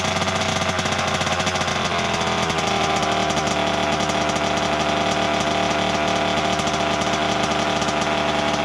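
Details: 1988 Kawasaki KX 80 two-stroke, first start in 15 years after a new piston, earlier flooded: loud raspy buzz holding steady high revs with even firing, no knocks or misses; engine finally running normally.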